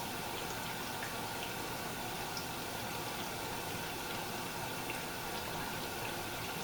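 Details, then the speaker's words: Samsung dishwasher after clearing plastic debris from the circulation pump: steady even rush of water filling and spraying, no grinding or rattling; sounds normal for now. "sounds better okay guys that's how it's supposed to sound no grinding noises nothing like that"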